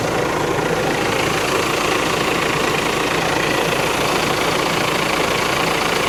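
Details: VW Crafter campervan diesel, first start after replacing the faulty AC compressor blamed for snapped serpentine belts, filmed from underneath: steady, even idle hum with no knocks or squeals; belt tensioner jumping around somewhat.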